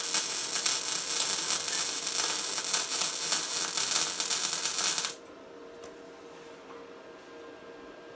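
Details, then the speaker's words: Tesla MIG 260 MIG welder welding 3 mm metal: steady, even bacon-frying crackle for about five seconds, then stops; the correct sound of a welder properly set for this metal. "такий правильний звук правильно налаштованого апарату на даний тип металу"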